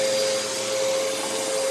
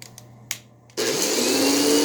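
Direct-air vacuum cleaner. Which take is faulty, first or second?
second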